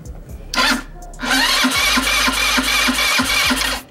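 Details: Italika WS motorcycle not starting after an adjustment: even starter chugging about three pulses a second, engine never fires; spark present but very weak, spark plug cap incorrect, fuel still to be checked; cause unconfirmed.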